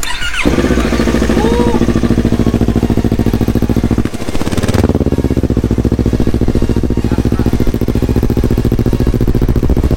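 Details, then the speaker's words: Yamaha R25 fitted with a Yamaha R3 engine and Akrapovic exhaust, first start after the swap: brief crank, then a smooth, even twin idle with a steady beat; runs healthy. "Akhirnya nyala juga motornya, sudah selesai pemasangannya. Nih knalpotnya pakai Akra dulu. Suara sih nggak beda jauh ya. Blok R3 halus suaranya."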